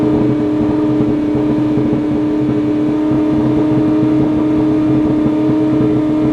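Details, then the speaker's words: Ferrari 458 idling far too high, up to about 7,000 rpm, with no throttle input after surging and revving on its own; even drone; owner suspects dirty MAF or throttle bodies sticking open. "only thing i can think of is maybe a dirty maf but that seems like crazy this is not like typical dirty math stuff something something's really messed up it's almost like the throttle bodies are sticking open"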